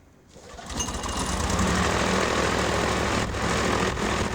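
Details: Sevtec hovercraft (SEV) built in a garage in the 1990s, engine run with no exhaust system (earlier builds likely had exhausts; these are much noisier): harsh raw popping roar rising quickly to a steady loud drone, unmuffled engine.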